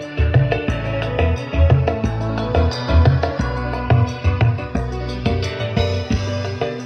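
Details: Sharp CBOX-D888WB active speaker (two 8-inch drivers per box, stereo) after replacing the final transistors for a crackling-sound fault: music plays cleanly with solid undistorted bass, no hum, crackle or dropouts; amplifier now working normally.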